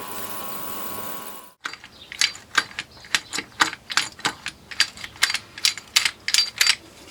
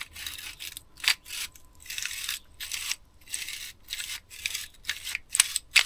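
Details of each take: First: Vintage army Tirfor TU-16 winch ratchet; crisp, even clicks about two per second show the pawl engaging cleanly, now sounding much smoother. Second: Vintage army Tirfor TU-16 winch turned by hand before ultrasonic cleaning; rough, scratchy rasping in uneven bursts from grit in the mechanism.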